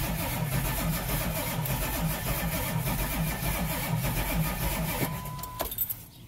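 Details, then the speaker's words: Ford Power Stroke diesel, 143,000 miles, PTO on transmission, previously wouldn't start: starter churns about three uneven beats a second without catching, then stops; rough cranking, no start, owner fears a dead cylinder, unconfirmed. "i'll have to do some checking into this thing doesn't sound very good right now hopefully it's doesn't have a dead hole or something"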